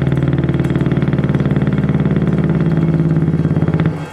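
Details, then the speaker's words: Curtis Mathes record changer after cleaning and lubricating the motor and idler: the rock-hard idler wheel has a flat spot and poor grip, causing steady rhythmic motorboating thumps about four per second; it needs a rebuilt or new idler wheel. "That idler wheel is just completely got a flat spot and worn out. And it's not getting good and very good grip at all."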